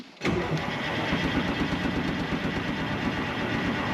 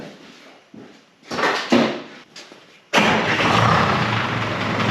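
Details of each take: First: 1976 Ford F250 with a swapped Detroit Diesel 453T and 4-speed manual, sitting since 1996, cranks steadily with an uneven chug but won't fire and has no injector squeak; there is fuel in it, but it seems not to be getting fuel (suspected, injectors possibly stuck). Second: Revived 1976 Ford F250 with swapped 453T Detroit two-stroke diesel and 4-speed manual, sat since 1996; after a fuel-pump fix it cranks, fires in about three seconds, settles to a steady even idle, little smoke, oil leaking everywhere, oil pressure hard to tell.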